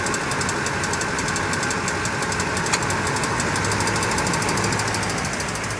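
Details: 2007 Toyota Tundra 5.7L V8 at about 170,000 miles, warm idle: light, quick metallic ticking mainly on the driver's side, appearing after warm-up, at first inconsistent then keeping pace with RPM.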